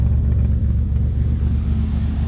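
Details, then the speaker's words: S10 Blazer 4.3 L V6, loud rumble through a possibly glasspack-type muffler, new spark plugs and wires checked; uneven lumpy beat as it revs, miss caused by the faulty fuel injector. "I put in spark plugs yesterday and checked all the wires and that's how I found out that it's not a it's not missing because the wires it's missing because of that fuel injector"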